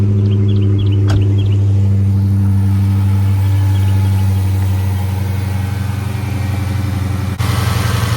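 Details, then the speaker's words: Hellcat Redeye supercharged V8 that kept stalling, fuel pressure sensor (built into rail behind supercharger) unplugged: deep lumpy idle holds steady without stalling; engine idles with faulty sensor unplugged, pointing to it as the fault. "So unplug that. That's the fuel pressure sensor. So about to start it up, see if it idles this time. See if it idles. Seems like it's idling right now."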